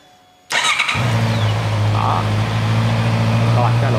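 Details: Honda CB650R that would not start, after diagnosis, powered and started: catches right away and settles into a steady, even idle with a smooth low hum and no stumbling; normal start and idle.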